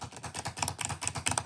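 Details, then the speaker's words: 2016 MacBook Pro 15-inch, about 3.5 years of heavy use, first-generation butterfly keyboard: quick, crisp, even clicks at typing pace with no mushy or rattling keys; normal keyboard clicking. "but they do kind of hamper the clickiness of this so i really like uh how clicky these keys"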